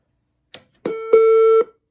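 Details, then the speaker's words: Bogen MCP 35A school intercom head unit in talkback/listen mode, 70-volt speaker used as microphone: a few switch clicks, then a steady mid-pitched tone about half a second, constant until cut off; tone persists in talkback mode. "Now the tone thing, as you can hear, it's still there."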